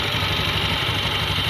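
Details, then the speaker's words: Honda Beat ESP scooter that often stumbles and stalls, revs raised; pressing a harness area with rub marks chafed against the body makes it sputter and die, revealing a chafed-wiring short cutting the engine. "Nah kan motor mati ketika ditekan dan ini pasti ada"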